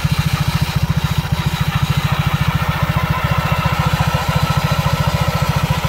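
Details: Honda PCX scooter with Yamaha Aerox pulley fitted, after 6000 km and DIY CVT cleaning: low even putter about three and a half beats a second, no drive rattle; healthy idle.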